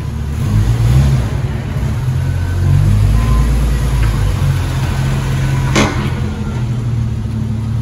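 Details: 1994 Jeep YJ after ECU and fuel pump repairs, driven gently in first and second gear: a steady low rumble under light acceleration with no knocks or misses.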